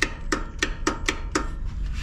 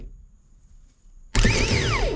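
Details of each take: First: Zero-turn mower that starts intermittently, key turned: six sharp clicks about four a second with no cranking, so the solenoid engages but the starter motor doesn't turn; the starter was eventually replaced. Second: Zero-turn mower's new replacement starter bench-tested before installation; it whirs up to speed in two clean bursts, pitch rising then falling smoothly, no grinding or dragging; working fine.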